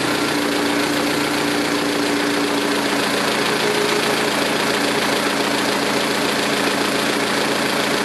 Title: Lifter tick with GMR cams and stock lifters 2006 Saturn ION Redline